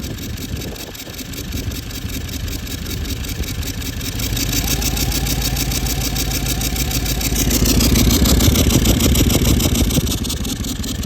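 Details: Toyota Land Cruiser 200 series 1VD diesel, oil changed every 5000 km with full synthetic, that made a siren noise and smoked while driving, revving with a rising siren-like whine over the rattle as revs climb; failed turbocharger.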